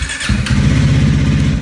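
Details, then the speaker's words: Speed 400 motorcycle, single cylinder: fuel pump primes, starter whirs briefly, engine catches and settles into an even, steady thump; normal clean start, can start with or without the clutch held. "Uh you can hold the clutch in and start it um with this, or you can not hold the clutch in."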